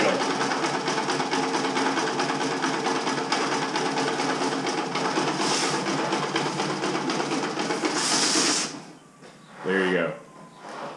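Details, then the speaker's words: 1980 Honda XL250S single on stale fuel, choked, before the fix: thumps along at a ragged, uneven idle about eight seconds, then sags and cuts out. It would not idle or rev above about 2,000 rpm. Stalling from stale fuel. "barely running as you can hear barely running I think once it warms up in a few seconds it's going to stop and then I won't idle and then I have to use the throttle to make it"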